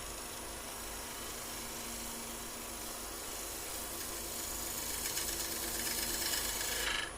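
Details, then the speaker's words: Bowl gouge turning a faceplate-mounted bowl with light tool pressure: steady dry rasp growing harsher and louder as the cut goes this direction; turner suspects he is tearing the fibres rather than cutting cleanly. "now you hear that that might be that i'm tearing the fibres now as i come this way"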